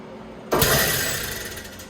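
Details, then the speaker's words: Becker VTLF 2.250 dry rotary vane vacuum pump for a CNC router, after maintenance and cleaning, rotation direction checked. Short burst as it snaps on, spins up smoothly and coasts down evenly, no scraping: normal pump start. "okay looks like the direction was good i'm gonna go ahead and turn it on let it run for a few seconds and so we can listen and see how it sounds so overall very happy with how this turned out pump sounds good"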